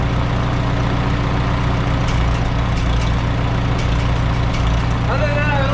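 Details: Antique Farmall H tractor with a newly rebuilt carburetor after a fuel-system cleaning and an added strainer: a steady, low, even idle with a smooth beat and no knocks or misses. Healthy running and no carb leaks.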